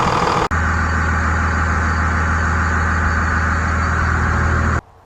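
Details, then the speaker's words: 1999 Cummins 24-valve diesel truck with complaints of hard starts and heavy white smoke, test-started on a battery charger with the #1 injector line cracked to check fuel pressure. It catches and settles into a steady, even, low idle with no misses or knocks, then shuts off. "Alright guys, we got the battery charger on it to see if it'll start and if it ain't gonna smoke."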